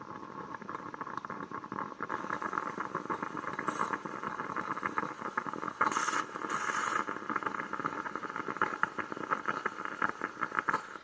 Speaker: When the espresso is ready, you will hear a gargle-like sound of the steam making its way through the mechanism, or you will hear silence, both indicating that your mouth is about to be cuddled by the heavenly flavor of Italian espresso.